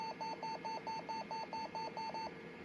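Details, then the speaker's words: Compaq LTE Elite 4/50E laptop, sold as not turning on, at power-on with backlight lit but blank screen: about ten quick even beeps, roughly four a second; startup fault warning, cause uncertain. "It also beeps rapidly. I think it's actually trying to boot Windows because this drive actually does have an OS on it, the one I have in here, but it is from a 5000, so we're not going to go too far into it."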